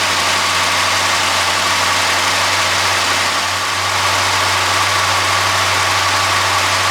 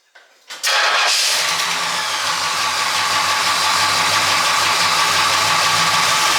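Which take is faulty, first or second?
second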